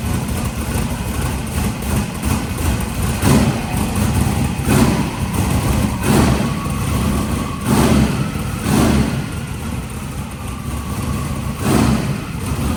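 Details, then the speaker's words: Engine just started after work, with smoke from one side that the owner can't explain, possibly residual oil in the turbo or header. Deep, steady idle with soft blips and no knocks or ticks. Normal idle. "sounds good that side a little bit"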